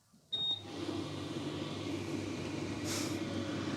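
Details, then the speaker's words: Electrolux/Simpson/Westinghouse clothes dryer after fan replacement: a short beep, then a steady, even motor and airflow hum with no scraping or rattle; the previous fan noise is gone and the fan runs normally. "You can hear there's none of that fan noise. It's excellent."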